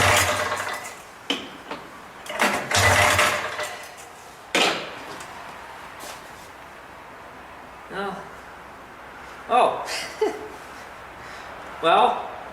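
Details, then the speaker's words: 1979 Kawasaki Drifter 440 snowmobile, unknown history: several sharp recoil pulls, each a brief whirring spin with no firing; cranks but won't start because the kill switch is off. "assuming the kill switch is wired and working probably switch that though on"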